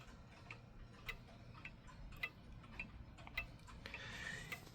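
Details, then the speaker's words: Vintage mechanical clock set in beat, the system modern Hermle and Kieninger clocks use: crisp, evenly spaced tick-tock about twice a second with equal gaps; an out-of-beat tick would stop the clock. "Hear that? That's what you want right there. You want a nice even Tik Tok."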